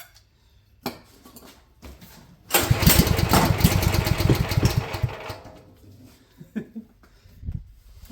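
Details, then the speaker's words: Champion generator sat at least a couple of years, fuel very low and of unknown age, prone to backfiring into the airbox: pull after pull, short sputtering catch that dies without settling; cranks but won't start, stale fuel suspected. "I wonder if that would make any difference or not cuz there is some gas in it. It's just very low. Also don't know how old that gas is."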